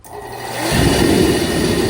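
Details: Atomaster Reddy kerosene heater that failed after summer storage, firing after clearing a nest-like clog from the manifold and pump area and tightening the compression-fitting line: soft whoosh as it lights, then steady, even roar, no sputter or surging; running normally.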